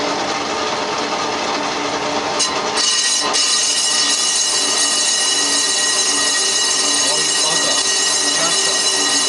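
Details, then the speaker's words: Skimming a 1930s Studebaker cast iron front brake drum on a Colchester Triumph 2000 lathe, 12-inch 4-jaw chuck, about 80 RPM: harsh high gritty ringing chatter persists; drum ringing suspected, inserts not suited to cast iron. "chatter is still horrible quite often once it's there you cannot get it out again just the tool running over it sets up the vibration"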